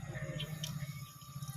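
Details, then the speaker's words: Hero HF Deluxe BS6 fuel-injected motorcycle, newly replaced fuel pump, ignition switched on to check fuel delivery before starting. A low, steady hum with quick even pulsing as the pump runs and fuel flows; normal pump operation. "হ্যাঁ, তেল বার হচ্ছে, motor চলছে, শুনতে পাচ্ছেন।"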